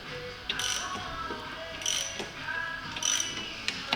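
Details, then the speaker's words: Audi S6 C5 2002 with the 4.2 V8 (ANK), engine off and turned slowly by hand to set timing marks: irregular ratchety clicks and metallic chatter from one timing chain tensioner, matching the rattle the owner complained of. "того тільки чутий центр чи правильні сказати чуєте і власник на нього скаржився що він тарабанить а він тарабанить бачите на навіть і на заглушеному двигуні"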